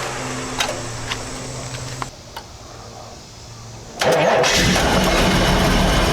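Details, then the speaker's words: 1988 Chevy Camaro IROC-Z28 no-start, clicking only, diagnosed as a six-year-old failing battery: quiet ticking, then a short crank on a jump pack catches at once and settles to an even idle; charging at 14.25 V. Normal start and idle. "the starter started fine we're gonna condemn the battery it is six years old unknown history on it"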